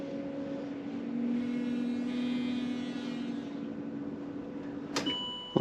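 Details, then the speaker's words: Land Rover Discovery 3/4 2.7L TDV6 diesel (chassis from 7A000001), after new fuel filter, ignition-on priming cycle before start: even low electric hum about four seconds, then cuts off with a click; normal fuel priming pump run. "So I can definitely hear it moving some.</b> <b>Still making sound.</b> <b>Stopped."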